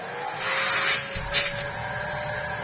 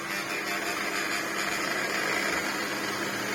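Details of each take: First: Large Electrolux vacuum with a paper bag fitted, switched on: a high, airy motor whine that rises, then shifts pitch as the airflow is blocked and released. Suction is still strong and healthy. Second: Large Electrolux vacuum, lightly used, power head: rough, strained high whirring with a gritty rasp and no steady tone. The brush roll stops as soon as the head is put down and had caused issues before; the brush roll motor is failing.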